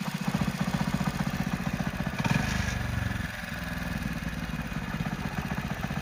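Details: Hero Splendor Plus/Passion BS6 single-cylinder motorcycle at idle: steady, deep knock on every beat persisting through a brief throttle blip; crankshaft knock.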